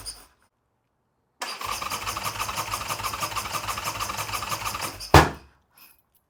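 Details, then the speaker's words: Harley Sportster build cranking: starter churns in steady pulses about four a second without firing, even with starting fluid; crank no start; plugs spark only briefly after cranking stops, so owner suspects no spark while cranking. "okay guys so we know the bike cranks but it's not starting I already threw some starting fluid and not luck"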